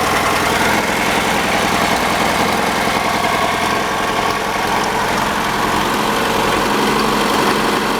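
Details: 1985 Chevy Cavalier CS wagon started after long storage: uneven, lumpy idle with irregular stumble and visible shaking; one cylinder misfiring, cause unknown, engine also clatters and is due to be pulled.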